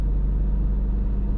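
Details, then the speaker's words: Learner car stationary in first gear, accelerator held at about 1,500 rpm for clutch control practice: steady even low rumble, smooth, no knocks; normal sound when moving off. "that's normally what it sounds like when you're moving off isn't it"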